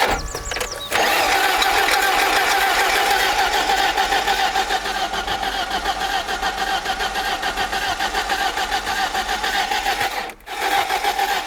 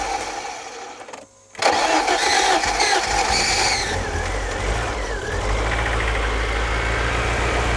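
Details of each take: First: Barn-find BMW E30 off road 15 years, last started 10 years ago, fed by external tank, fuel pump and battery: starter churns steadily for seconds, never catches; spark present, pump primes but injectors not injecting fuel (owner also wonders about crankshaft sensor). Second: Barn-find BMW E30 off road 15 years, last started 10 years ago, after priming fuel so fuel now sprays: short crank, catches cleanly, revs briefly, settles to steady even idle without misfire; runs fine, just needs a service.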